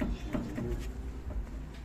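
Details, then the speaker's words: Front suspension rocked by hand gives dull, irregular knocks; Z rod (stabilizer link) judged worn and due for replacement, bushings also to be checked; suspected worn stabilizer link clunk. "bu Z rot bozulmuş Z rot değişecek"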